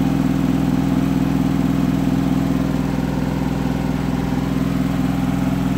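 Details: Hotpoint washing machine final spin at up to 1400rpm after a rolling bath sheet fooled the balancing and was thrown to one side: steady low droning hum with even thumping about twice a second, unbalanced noisy spin.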